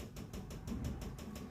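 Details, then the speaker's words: RO water purifier: quick even clicking about six per second from pump and solenoid valve, loudest at the solenoid valve, as the unit cuts in and out; power supply failure causing pump cycling. "Cut cut cut cut cut cut जैसी आवाज आ रही है देखि पमप से तो यह आवाज क्यों आ रही है"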